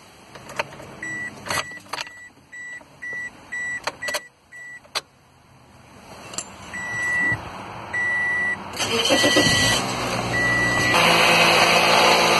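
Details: 2005 Toyota Corolla with about 120,000 miles, started just after a spark plug change: chime beeps, then the engine catches quickly and settles into a steady, even idle with no misfire or stumble.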